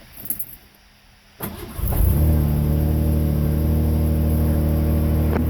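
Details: 1988 Ford Ranger 2.9 with a long-running rough, surging idle, after replacing the MAP sensor: it cranks briefly, then catches and settles into an even, steady idle with no hunting or surging.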